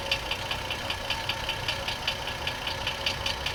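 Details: 2004 GMC Envoy 4.2L at idle with the transmission removed, oil pan off and belt off: a sharp knock about 2.5 per second persists despite replaced flexplates and harmonic balancer; rod knock suspected.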